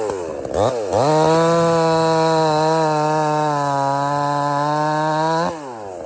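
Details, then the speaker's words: Budget Temu chainsaw shortening a hurricane-felled log, possibly rotted in the middle: revs to a clean steady high buzz holding pitch through the cut, then drops back; cuts easily, starts easy and runs strong, normal. "But you saw that that cut through that like really easy. No problem."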